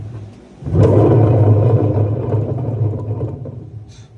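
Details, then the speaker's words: LG F1222TD washing machine with failed drum bearings and loose drum: a low, coarse rumble swells as the drum is turned, then fades. "But I picked this up because the bearings are gone on this one. Exactly the same problem I had with mine originally."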